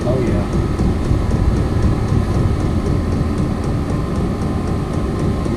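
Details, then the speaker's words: Vevor 5 kW 12 V diesel air heater, new, at level 1 of 10 on battery power. Steady rushing fan and burner roar with faint regular fuel-pump ticking. It has lit, gives hot air, and is running normally. "yeah it's lit I can smell it feel the hot air coming out of that"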